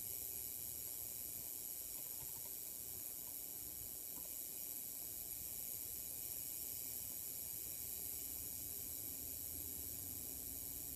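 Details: Buzzing from a refurbished 27-inch Apple LED Cinema Display (FC007LL/A): steady high-pitched electrical buzz and hiss with thin whining tones, no rhythm; cause unknown.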